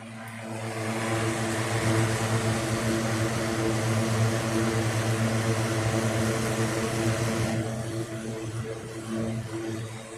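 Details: 1960s 16-inch Toastmaster box fan started up after storage since late 2022: even whooshing hum with steady low blade-pass tone, easing off toward the end, no rattle or wobble; runs good, owner says it needs cleaning and probably servicing.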